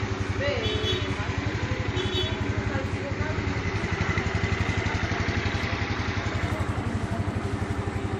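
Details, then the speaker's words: Yamaha Mio Sporty 113cc scooter after CVT cleaning and service, test start before refitting body: small single putters at a steady idle, about four beats a second, even and free of rattles; starts easily, seemingly no remaining problems. "[ okay ] [ it seems there are no more problems ] [ the motor can ON easily ]"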